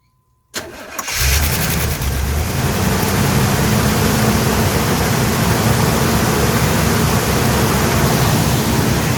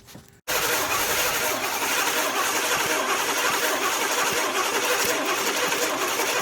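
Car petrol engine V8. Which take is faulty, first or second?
second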